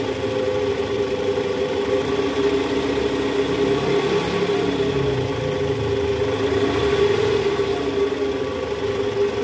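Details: Toyota Vellfire 2009, 2.4 2AZ engine, shifted into reverse at idle: faint rough "krrr" drone from the oil pan area, worst on morning cold start, in D/R and with A/C on; worn, loose balancer shaft.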